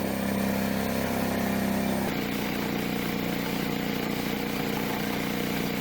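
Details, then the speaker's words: DeWalt D55168 15-gallon air compressor after rebuild kit (connecting rod, cylinder, head o-rings; part N038785), previously slow to pressure, loud, maxing ~60 psi: even steady pumping chug, constant motor hum, no knock or rattle; normal running. "so here we go what a difference guys down so much better"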